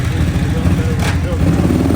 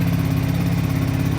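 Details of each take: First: Kawasaki KFX700 ATV engine, after head, carb, timing and valve-adjustment work, blips and settles into a steady, even low beat of about four pulses/s with no misfire; it now runs and idles on both cylinders. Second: Kawasaki KFX700 ATV just fired up after fuel priming with the cover off runs a fast, steady putter with light clacking on the idle; they wonder about the head gasket but doubt it, so the cause is unclear.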